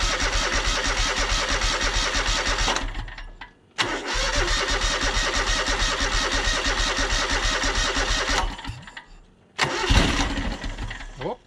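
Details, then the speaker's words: John Deere X485 riding mower, fresh gas added after water condensation found in the tank, battery nearly dead: two long bursts of cranking about three strokes a second that almost catch; sounds starved for fuel, owner suspects tank air pressure. "so sounds like it's definitely um sounds like it's starving for fuel i'm wondering if it doesn't have something to do with the air pressure"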